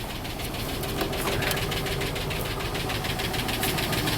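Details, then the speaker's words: 2005 Dodge Ram 2500 5.7 Hemi V8, almost 300,000 miles, idle with a dead cylinder misfire: sharp steady tick three to four per second; suspected seized roller lifter wiping a cam lobe causing low compression, unconfirmed. "I think a cam is worn out I think Josiah uh from Blue Sky Mobile Auto Repair just posted uh a short video on where the the lifter the roller like basically seizes up choos up the lob on the cam and then the cylinder has low compression"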